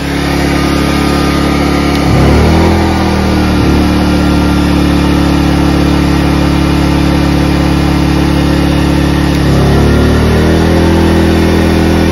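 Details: Ryobi 2300W/1800W portable inverter generator, after a repair to fix surging and rough idle, under a load test: a steady, even hum dips briefly as load comes on, then recovers and runs smoothly.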